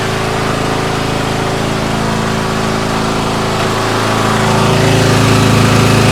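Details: MTD White yard tractor, 13.5 hp Briggs & Stratton industrial engine, first start in years after sitting, fired with a little starting fluid; small single-cylinder runs at fast idle, slightly uneven, picking up; cut out, lots burning off. Rough running.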